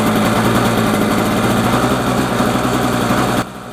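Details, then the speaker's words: Trash-picked Snapper 17 LE two-stroke snow blower with a new spark plug and fresh 50:1 premium fuel, carb bowl filled, primed and choked: it buzzes at a steady, even idle for a few seconds, then shuts off; it runs cleanly. "all right boys and girls we got us a nice running snowblower"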